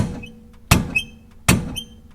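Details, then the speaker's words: 1973 Chevy Nova, rear bounce test: sharp metallic clunk with squeak about every three-quarters second; loose main stud of lower rear shock absorber mount on both sides. "okay there it is that's the main stud for the lower shock absorber Mount and that is loose and banging away is clicking up and down when you bounce on it"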